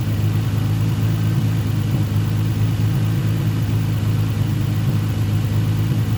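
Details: Nissan 350Z after coil swap, cylinder misfire previously: strong, even low rumble as revs rise, no stutter or popping; running clean, misfire traced to spark plug; still smoky from oil burning.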